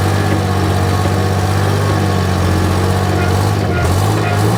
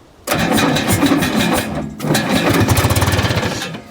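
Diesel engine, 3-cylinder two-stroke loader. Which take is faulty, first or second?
second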